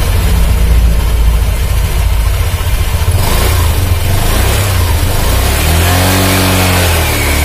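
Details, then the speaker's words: 2019 Honda Vario 150, fairly new, running: rough growling drone from the CVT drive side rising with throttle, also noisy when pushed; worn rear pulley bearing or worn pulley plate suspected. "Terus kalau mesin kita hidupkan Hai suara mesin jadi kasar tewas ya lah ini ciri-ciri dari klaker puli belakang ya"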